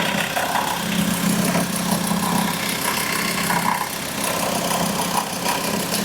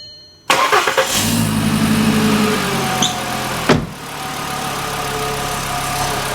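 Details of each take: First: Today we have a look at a VW that growls at idle. The cause is the alternator's overrunning pulley (OAP). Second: VW engine being checked for an idle growl linked to the alternator overrunning pulley: it cranks, fires and settles to a steady, even idle with no squeal or rattle from the belt side; it sounds healthy.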